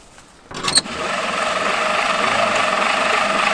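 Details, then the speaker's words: Jeep truck about 80 years old, abandoned, cranking with spark plugs removed and oil in cylinders: starter drags the engine over at about four heavy, uneven turns a second and slows to a stop; worn starter losing amperage. "I don't think our starter is going to do this. It doesn't have plugs in and it's coming to a stop."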